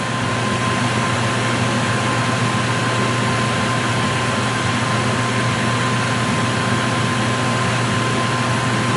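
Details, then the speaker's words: 2006 Yamaha WR450F with newly installed Trail Tech fan kit, engine shut off, reading 152: fan still running; steady even whoosh with a faint constant tone, no engine; normal. "Let's shut this bike off. Fan's still running. 152. Should be dropping here in a second. As you can hear, the fan still running."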